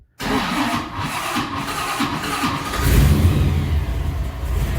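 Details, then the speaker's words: 1955 Chevy with Holley EFI, warm restart, warmest start yet: labouring three-second crank then loud unsteady rumble; owner suspects starting timing needs adjustment and a small vacuum leak. Hard warm start. "Yeah. I'm probably going to have to mess with the starting timing for that. But it's actually was pretty low on the drama."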